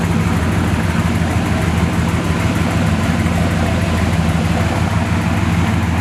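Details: 1969 Chevy C10 454 big-block with newly swapped 1000 hp-rated TH400, no trans brake yet, driving: deep steady rumble, no clunks, slipping or whine; converter flashes to about 4500 rpm; sounds healthy.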